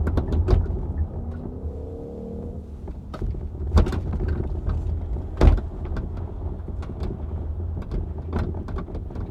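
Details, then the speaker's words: Hyundai Ioniq 5 driving over bumps, mic in the trunk right next to the rear hatch: sharp irregular rattles and clunks over road rumble, exaggerated by the mic placement. The hatch rattle is present for months, and the car goes to service for the recalls and a TSB. "wow this rattling sounds extra horrible on the recording just to remember the microphone is in the trunk of the car right now sitting right next to the hatch"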